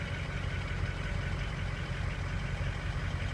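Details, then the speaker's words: 2003 Ford 6.0 Powerstroke diesel with injector stiction and hard starting, during a Rev-X treatment test on a cool morning, just after the glow plug light goes out: a steady, smooth idle with no knocks or misses. "okay clor plug light is out actually sounds pretty good"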